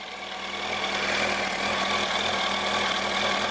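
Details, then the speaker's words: Yamaha R1 after clutch replacement, test ride done: inline-four settles into a smooth, even idle with no rattle or clatter from the clutch side; sounds healthy. "That sounds sweet, alhamdulillah. Can't hear any rattling."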